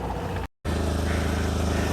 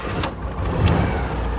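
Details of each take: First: Smart car at idle, sold as a project, 68,000 on the odometer: low idle with a rapid, rasping puff on every firing pulse; exhaust still blowing, leak not fixed. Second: Citroën 2CV warm start, engine already hot: catches almost at once and settles into an even, chattery little putter; healthy hot start.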